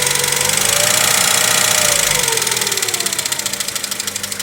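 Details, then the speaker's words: Chevrolet Lacetti engine at idle, microphone near the valve cover; sharp even ticking at about four per second, like hydraulic lifters; owner says the lifters were already replaced; oil is black and the engine heavily sludged. "И оно издает вот такой звук . Крышка клапана. Похоже на тяжелоатлетов. Владелец сказал, что их уже заменили."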